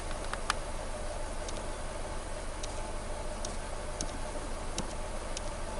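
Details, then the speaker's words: 2014 Nissan Versa 3-cylinder after replacing the number 3 coil for a P0303 misfire and rough idle: no codes, low steady rumble with faint light ticking and no stumbles, misses or surges; normal idle. "So I said no codes. Vehicle is idling real good."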